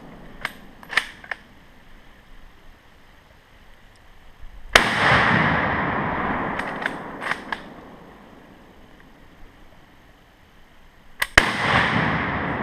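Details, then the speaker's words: Yugoslavian M48 Mauser rifle, 7.92x57mm (8mm Mauser), surplus ammo: a dry firing-pin click, then a pause of a few seconds before the shot cracks off; a hang-fire from delayed primer ignition. "That was a hang fire. Surplus ammo. I'm just like, alright, it didn't shoot."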